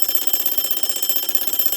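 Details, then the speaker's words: 1935 Westclox Sleep-Meter alarm clock after mainspring replacement, bell refitted: bright fast even ring about ten strikes a second holding steady; alarm bell working properly, only the second time in decades. "This alarm has been heard for the second time in, like, I don't know, 20, 30, 40 years. I don't know when the last time this was messed with, other than 2 months ago. But now we have the alarm actually running."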